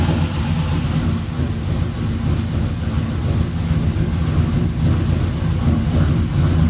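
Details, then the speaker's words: Freshly swapped truck engine with sloppy stage 3 cam, first fire-up, exhaust cutout closed: heavy, lumpy low rumble with an uneven beat that now and then drops a pulse; owner suspects a misfire, engine otherwise mechanically quiet. "I don't know if it has a miss, but it kind of seems like it might. Close that cutout again. I don't know, it seems like it might have a miss, but the engine itself is quiet, so that's a plus."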